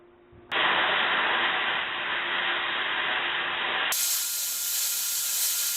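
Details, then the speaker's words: LGK-40 (Hitbox Cut40) plasma cutter cutting 1/4 inch plate at too low a current: harsh steady arc hiss that shifts sharply in tone, cutter fighting and straining; amperage too low, to be raised to 35 amps. "Okay, so it's definitely fighting. I'm going to crank it up to 35 amps."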